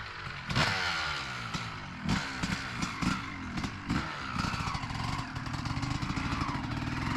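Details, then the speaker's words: 2003 Honda CR250R two-stroke dirt bike riding after idle adjustment: rough uneven buzz stumbles, won't climb cleanly, loaded up, bogging before high revs; owner suspects carb needs going through and re-jetting. "Doesn't really want to get into the um high RPMs. Probably needs the carb gone through re-jetted."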